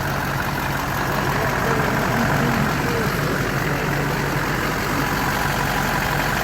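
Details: Rebuilt Duramax diesel with new injectors and rails, first start after rebuild, not yet at operating temperature: steady even diesel clatter and a smooth low rumble at idle, no knocks or misses; normal idle.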